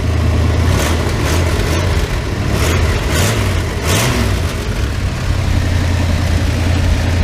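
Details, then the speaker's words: Rusty 1988 Dodge B350 fleet van, drivetrain donor for 1984 D150: deep smooth V8 rumble rising and falling with throttle blips, no knocks or misses; healthy engine revving. "runs good sounds good just rusty be 350 you can hear it just sounds great"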